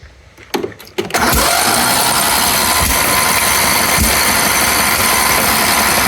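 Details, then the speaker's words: Recovered riding lawn tractor restarted on a borrowed battery: rough running with a harsh metallic clatter inside the engine, exhaust seeming to come out the carburetor with no smoke at the exhaust; owner suspects a seized valve; metallic internal rattle. "Voilà. Quand même des bruits de ferraille là-dedans. Ouais. Oh là. Il y a un truc qui va pas du tout."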